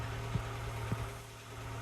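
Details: Peugeot Boxer Auto-Sleeper camper that was hunting and running rough, now running right: low, steady idle hum with an even beat, no stumble or hunting.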